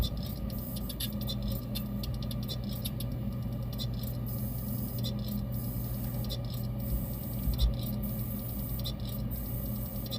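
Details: Xbox external hard drive, warm but not hot, cables secure, gives quick irregular clicks and taps in clusters over a faint hum; flipping it did not help, failing drive expected to die, replacement planned.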